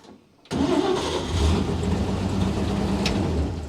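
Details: 1953 Chevy 3100 pickup, 235 inline-six, after sitting many years, with a rebuilt carburetor (new accelerator pump, gummy internals cleaned): quick crank, immediate catch, smooth even idle with no stumble. Healthy start.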